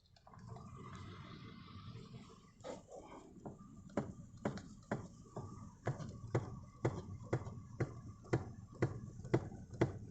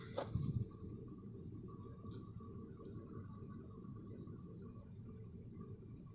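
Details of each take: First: Toyota Verso steering column: sharp, regular knocks about twice a second as the wheel is turned left and right, present for a month; cause was a loose nut on the steering shaft. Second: Toyota Verso steering turned left and right after a loose nut was tightened by hand: only a quiet low cabin rumble, and the column knock is gone.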